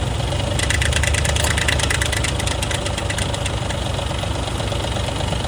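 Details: 2004 Ford F150 with oil changed every 3,000 miles, idling before a timing job: a steady idle with a fast, uneven metallic ticking rattle over the engine note, heard for about a year; the timing chain proved badly stretched against a new one.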